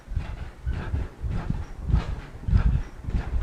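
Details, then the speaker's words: Cellerciser rebounder after oiling the hinge area, outdoors: soft, uneven thuds about one and a half bounces per second with no squeak or creak; previously squeaky, now much quieter. "it's it's so much more quiet and if I put it all even on the even surface here it's still getting quiet"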